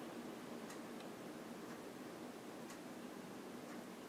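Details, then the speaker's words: 1995 NuTone Decorator ceiling fan on high then medium, slight bearing noise after install has since gone away with use: soft even hiss of air, faint tick about once a second, very quiet. Normal ceiling fan running. "I gotta turn that one off so we can hear it I'm gonna go up to high thank you it is very quiet medium"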